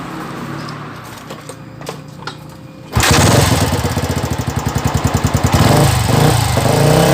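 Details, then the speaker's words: Old Yamaha Vixion single-cylinder after flushing water-contaminated (grey, milky) oil and refilling: after a quiet lead-in it starts and runs loud and rough, harsh clatter over the firing; badly abnormal noise, teardown to be discussed with owner. "Ini motor memang parah ya cuma dengan para sekali bunyinya nanti kita akan cerita ya"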